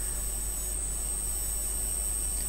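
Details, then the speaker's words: Hazeltine 2000 terminal CRT monitor on test with a video signal fed in, heard on the camera microphone: thin, steady high-pitched whine over a quiet low hum, never wavering; the usual flyback whine of a healthy CRT. "crophone it's not too bad just a bit of the usual wind from a monitor like this"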